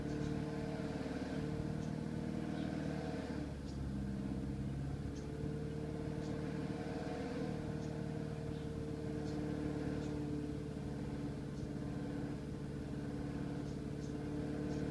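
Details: BMW 318i E91 with N43B20 engine on a cold start. A steady hum carries faint, fairly regular light ticks above it; the strange noise's cause is not pinned down by ear.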